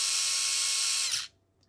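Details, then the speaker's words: Furitek Grasshopper brushless sensored system in Losi Micro-B, firmware 1.6, just after ESC throttle calibration; steady high-pitched whine then sharp cutoff, motor spins freely but still faster in reverse than forward, cause unknown. "so we're still getting extra speed in Reverse than forward not really sure what that's about"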